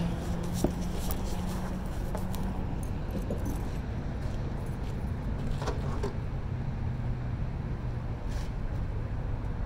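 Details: 1971 Chevy C20 barn find with a swapped-in 350 V8, stored about 40 years: deep, even V8 idle with no misses, ticks or knocks, slight jangling nearby; engine sounds healthy.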